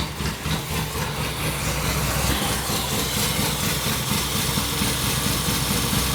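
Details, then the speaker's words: 1970s Pontiac Phoenix off the road 20+ years, cold, bad spark plugs. Uneven, lumpy stumbling idle with a hissy air noise. A giant vacuum leak from the stuck-open PCV valve, plus a plug cutting in and out. "oh hey a giant vacuum leak the PCV valve was completely open"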